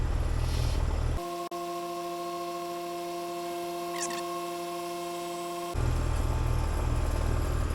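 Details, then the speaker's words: AC condenser unit pump-down before TXV replacement, contactor held in, refrigerant pulled from liquid then suction side: steady compressor hum with faint fast rattle about four per second as suction pulls down; compressor rattling during pump-down. "So, what we're going to do is get ready. We're going to push this in so it stays in right here in the contactctor. And then when it starts rattling, we're just going to go fast."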